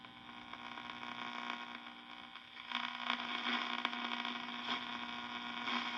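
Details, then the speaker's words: 1952 Wards Airline AM tube radio after replacing silver-mica-diseased wafer in the IF transformer with two 100 pF mica capacitors: steady hum, hiss and crackles with a very faint station; still receiving poorly. "Okay. It's different. I hear a station in there. It's very faint, but I can hear it. Okay, so that did change things."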